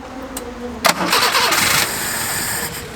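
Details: 1979 Honda Accord barn find, cranking on choke: a loud burst of cranking that sputters without catching, then a dull steady hiss; carburetor judged to need a rebuild.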